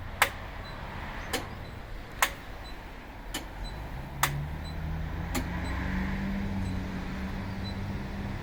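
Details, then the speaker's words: Nissan/Infiniti hidden IPDM auto active test checking wipers, low and high beams: six sharp relay clicks about once a second, then the cooling fan hums up steadily; self-test normal. "Alright, you can see it start diagnosing. The wiper checks the headlight. It's a low beam. Now it's the high beam. And you can hear this relay clicking."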